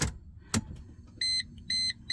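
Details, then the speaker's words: 2002 Mercedes C240 with no-crank no-start and high cooling fans running at key-on, after cleaning corroded ECU terminals and connectors: key-on chimes beep three times over a quiet background, fans now stay off as they should. "hey fans are not on that's always a good thing oh yes Bravo"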